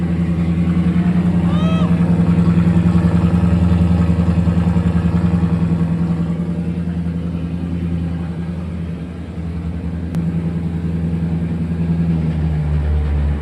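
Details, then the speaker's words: 2005 Mercedes C55 AMG, M113 V8, just after fuel pump replacement for a crank-no-start fault: first start after the pump primed, deep smooth even V8 burble with no misses or knocks, still cold before full warm-up; normal idle. "Our sounds great. Let's make sure it's idling normal."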